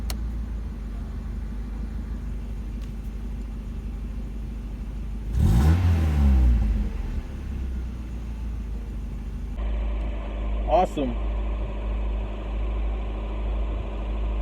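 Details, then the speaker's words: Mazda Miata first start after new thermostat, fuel pump, fresh gasoline, new radiator, hoses and coolant: it catches, revs once and settles into a steady, even idle with a second light blip; starts and runs normally. "we did it guys the Miata is alive she's back"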